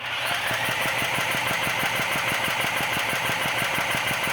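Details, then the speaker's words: Old Champion generator unused for years, air filter removed, engine spun with a drill, fuel, choke and switch on: turns over evenly at about three compressions a second under drill whine but never catches; likely no fuel or no spark. "No. So that's kind of like no fuel or no spark."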